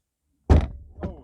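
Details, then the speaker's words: 2014 Jeep Grand Cherokee WK door after hinge adjustment to cure popping/creaking bottom hinge: one solid, clean thud as the door shuts with no pop or creak; normal door closing. "i'm going to close the door and see what i've ended up with in here now let's just see if it's going to close properly well the noise is gone that's a that's a bloody bonus"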